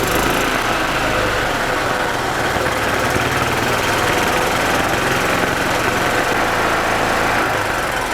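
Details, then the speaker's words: 2006 Club Car DS gas golf cart, sat about four years, after cleaning the tank, new fuel filter and line, oil and filter change: small single-cylinder chugs evenly, about four beats a second under rattle; normal idle, fuel system clean. "fantastic okay so i know this fuel system is clean"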